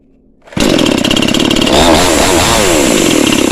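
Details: Cheap model 5200 two-stroke chainsaw with small chain and bar, cutting wood: high steady scream holding revs through the cut with barely any sag; strong, no power loss, normal cutting.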